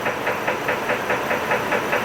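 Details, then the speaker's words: 2006 Chevy Trailblazer 4.2 L at low idle after an anti-noise oil additive: steady, sharp, even deep knock about five times a second; owner thinks rod knock, a lower-end noise rather than upper end, which goes away when revved; additive didn't fix it. "I think it's a rod knock something to do with the Pistons it's a lower end it's a lower end knocking noise it's not it's not an upper end at least not to my knowledge"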